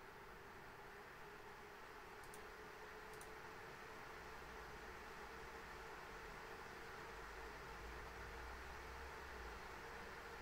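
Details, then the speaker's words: ASUS ROG Strix RTX 3090 graphics card in XTIA case, fan speed stepped in 10% increments from 40% up to 100%; steady even rushing air with no ticking, rattle or bearing growl, normal fan noise at high speed. "and now 100% and now it's set to the user defined profile yeah but even at this distance uh until 60 I I I really can't hear it so that's that's nice"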